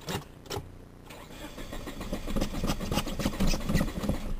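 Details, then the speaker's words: Geo that cranks but won't start, possibly out of gas: starter churns about three and a half turns a second with no fuel pump hum behind it, never catching; fuel pump failure suspected, not confirmed. "I don't hear the fuel pump normally"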